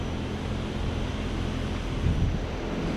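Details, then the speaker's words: Carrier Infinity 19VS 4-ton variable-speed condenser 24VNA949A003, newly installed, running at high speed with the thermostat set far down, about 70 to 72 dB: low, steady fan whoosh with no rattle, buzz or squeal; quiet and healthy. "this is going to be at a higher speed cuz we did set it really far down on the temperature scale to get it running so this will be running at the upper echelon of that deciel range this is going to be right around about 70 to 72 DB"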